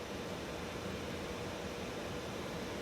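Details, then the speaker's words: 2013 Mercedes Sprinter 3.0 L with key removed: steady airy blower fan rush at constant speed from the vents, draining the battery overnight; stops only when battery disconnected; blower stuck on from shorted blower regulator. "so the key is out but the blower motor is on there is air coming out of these vents"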